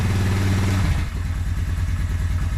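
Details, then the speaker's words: Suzuki Quadrunner 250 ATV after about 7 years in storage, first start on choke, in neutral, smoking a little: lumpy single-cylinder running that dips and stumbles unevenly while still cold; rough running when cold. "wow guys wow a little cold blooded yet i can't believe how easy this thing started"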